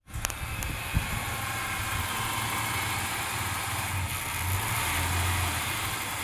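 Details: 1996 Ford Falcon EF 4.0L inline-six: lumpy idle with dropped firing pulses and a wavering low rumble, misfiring in Park, Neutral or Drive. It is smooth under load; compression is in spec and no vacuum leaks were found.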